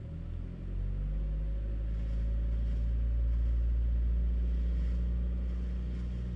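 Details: Chevy Cruze: engine catches, then a deep steady drone and strong low rumble build as throttle is applied; engine noise on start and throttle, source unclear.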